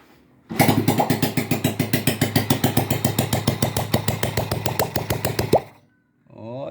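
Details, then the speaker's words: Honda Pop 100 single-cylinder on its first start after an engine rebuild for heavy oil consumption (1 L a month) and noise, with the cam chain tensioner adjusted. It catches quickly into an even thump and lubricates well, spilling oil as expected: normal start. "derramando bastante óleo viu rapaziada Então graças a Deus tudo certinho viu ó o tanto de óleo que ela derramou el Tá pingando ó lubrificando perfeito bem boinha de pegar vocês viram né bem pegadeira"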